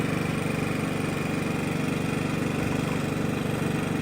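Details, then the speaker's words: Genmax GM7500 iAED dual-fuel inverter generator at low idle, measured directly behind with muffler aimed at mic, about 66–68 dB, a bit louder. Steady low drone with smooth regular exhaust pulse, no knocks or misses; normal idle. "I got the muffler aimed at me, obviously, so back here it's going to be a little louder. You can see it's coming in at around 66, 68."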